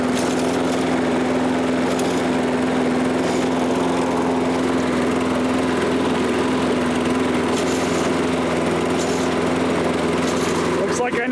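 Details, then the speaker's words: Toro Recycler self-propelled mower, apparently made January 2010, auto-choke carburetor, was not starting, spark plug found not tightened: after a pull it holds a steady, even drone without misses, surging or rattles; normal running. "so let's pull the cord on this and see what we can get her to do good enough for me so seems to run okay"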